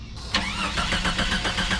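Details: 1991 Jeep Cherokee Briarwood being revived, new battery just fitted, fuel gauge reading low; steady starter cranking about five beats a second with no catch or run: engine turns over but does not start.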